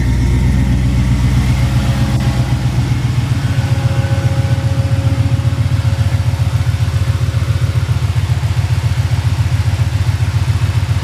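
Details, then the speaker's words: Chevy K10 V8 idling out of gear after axle vent line and wiring repair: even, steady idle with firm pulses nearly four a second, no misses or rattles; healthy. "Alright, seems good. Good enough for me."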